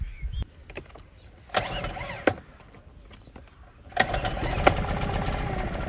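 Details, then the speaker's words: Suzuki 2.5 outboard on a boat after its carburettor was cleaned ultrasonically to fix long-standing idle problems, pottering along at idle only: quiet spell with handling knocks, then a steady, even low putter, a normal clean idle. "I'll just hop back in the boat give you a little bit of footage as I merrily Potter back only at idle I'm only going to go at idle"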